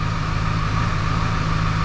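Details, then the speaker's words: 2002 Ford 7.3 Powerstroke diesel, first start after engine install, with new high-pressure oil pump and unrefined tune: deep, heavy rumble settling into a steady cold idle with a slight lope. Normal cold start idle. "like man does it get a nice Loop when you fire up on those cold starts"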